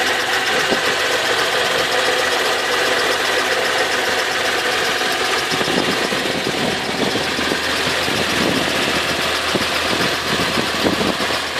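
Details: Cold start of Infiniti FX35: loud, busy idle with a persistent knocking tapping through it; cause not pinned down by ear. Engine knock.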